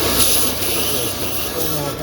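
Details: VAZ 2110 that won't run on petrol, misfires and won't idle, with an LPG reducer fitted, warmed up: a loud airy hiss over an unsteady idle with a hose off. The open intake line sucks air, a vacuum leak; the old hoses need replacing.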